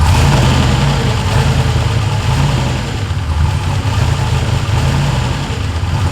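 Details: Ford F100 with swapped turbo LS1 V8 (Holley), after the throttle butterfly stop screw adjustment to raise idle and ease idle air control reliance: steady, deep, slightly lumpy idle at even speed, no misses or knocks; normal idle.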